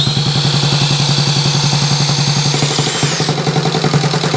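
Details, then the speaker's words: Honda Z50 mini trail rebuilt from parts, first start on electric starter with carb just fitted, no throttle cable hooked up: fast lumpy single-cylinder chug at a low, barely held idle with faint whine; idle too low, needs more idle. "maybe leave the choke on maybe a little bit more maybe a little bit more idle let's try that maybe a little bit more idle"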